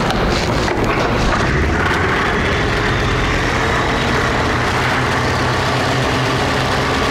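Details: Polaris Ultra snowmobile two-stroke after carburetor rebuild and balancing so all carbs contribute equally at idle: loud, even burble holding a steady note for seven seconds without hunting or stumbling; clean idle.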